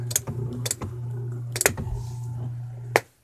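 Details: Relay clicking heard through speakers fed directly from an MP3 player, persisting after moving the player far from the AC and removing the extension cable: sharp irregular clicks every second over a steady low hum; cause unknown.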